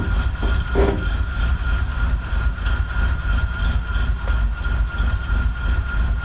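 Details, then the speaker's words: 1963 Chevrolet Impala V8, start attempt before a test drive; slow laboured cranking about three turns a second with barely any firing; it barely runs then dies; owner suspects the battery is a little low. "Barely, but it's running. Nope, didn't make it. Try it again. Ooh, battery might be a little low."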